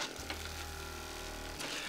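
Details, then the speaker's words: Budget massage gun rated about 50 dB, quiet and well built: a steady high buzz with an even low thump that holds its pitch when pressed against the body. The motor does not bog. "do you hear how the motor doesn't like die when you press on it that's a good sign so this could last a really long time"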